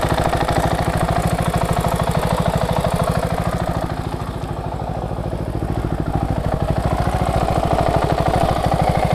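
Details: KTM 690SM LC4 single, warm at idle, on Motorex oil (previously Amsoil 10-40): fast, fairly even ticking on each beat, only when warm; owner suspects the cam chain tensioner.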